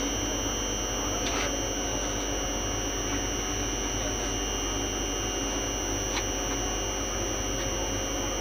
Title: Contractor Humming Sound